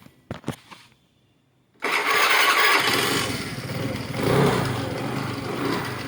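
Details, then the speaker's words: Honda Grazia scooter with self-start fault after repair complete, self wire rerouted to switch and green wire to negative: a couple of starter clicks, catches first time and runs smoothly; starting system healthy. "ఈ విధంగా మనకి self complaint అయితే మనం Activa కానీ డియోో కి కానీ మన ఇప్పుడు చేసిన గ్రాజియా కి కానీ ఆల్మోస్ట్ హోండా బల్ అనేది చేసుకోవచ్చు"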